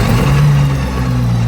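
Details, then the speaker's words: FV432 APC running for the first time in 13 years, restarted after an accidentally pressed dead man's floor stop was released: heavy diesel holds a steady, even low drone with no stumble; now running normally and better. "Now, straight away, that sounds a lot better. That sounded a lot more like K60."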